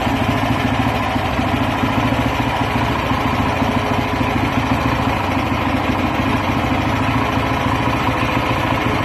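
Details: Weima single-cylinder engine after rebuild with new piston, rings and sleeve, first run: steady, even idle with smooth regular beat, no knocks or rattles; sounds healthy.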